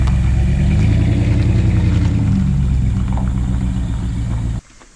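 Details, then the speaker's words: Jeep after its tailpipe and custom exhaust were welded up: a deep, even V8 rumble with steady firing pulses and no ticking or puffing from joints; sealed and sounds right. "I think that's how those things are supposed to sound way better than the b6es"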